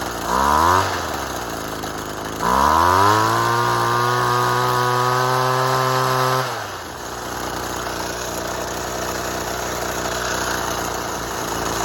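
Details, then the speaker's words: Saw started on six-month-old stale fuel: two rough blips of revs that sag, then an unsteady, lumpy idle with heavy smoke. The old fuel combusts poorly, so it starts but runs badly. "nice smokey really smokey um it's the fuel probably would have just evaporated off and it's probably gone a bit stale so it's not combusting as effectively not as it's good running you could hear it it starts and it runs does it run well no"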